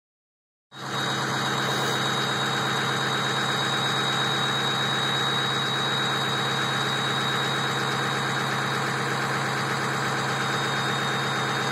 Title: High Idle